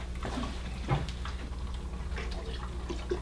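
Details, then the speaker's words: Freshly filled custom PC water-cooling loop, irregular gurgles and trickling pops over a low pump hum as air bubbles work through; normal early on, noise should subside. "will experience a lot of bubbles in the beginning and those bubbles will make a noise as usual but this is a kind of normal and noise will will go down"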